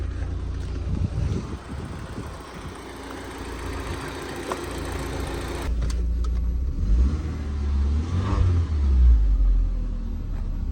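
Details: Mk1 Audi TT, after immobiliser work now starting on its own: engine catches and revs up cleanly a few times, rising and falling smoothly with no knocks or misses; normal revving.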